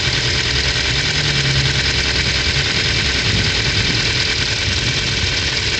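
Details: Ford Focus 2, 2010, 1.6 L 100 hp engine: light, fast ticking of about three per second over a steady idle, starting on cold start and vanishing once warm. Owner suspects valve clearances need adjusting with new buckets or shims. Unconfirmed.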